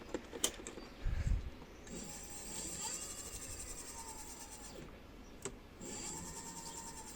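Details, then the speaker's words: Rear motor-wheel drum brake on an electric bike: piercing metallic squeal in bursts ("tsk-tsk") while riding, worsening yearly. Fixed by sanding the brake shoes with a mini grinder and sandpaper. "Вот слышно вот этот цк-цк-цик. Это было вот свист."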